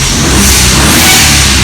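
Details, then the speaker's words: E36 with N54 twin-turbo engine, stationary free revs, hitting 10 psi boost before an expected limp mode with suspected DME/CAS coding mismatch: strong rising roar with rushing boost hiss; turbos sound healthy for now. "You can see that it's hitting that 10 psi. There's gonna come a point where that's not gonna happen anymore, and all you're gonna get is the max of like 2 or 3 psi."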